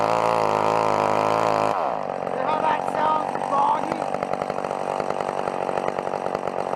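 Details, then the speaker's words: Old McCulloch chainsaw cutting wood at full throttle with the carburettor high-speed screw opened too far: steady high buzz that drops and stumbles in ragged pulses under load, bogging from an over-rich mixture. "like it was it was the high screw was quite aways open alright and it was really bogging and then I put it into the wood full squirt"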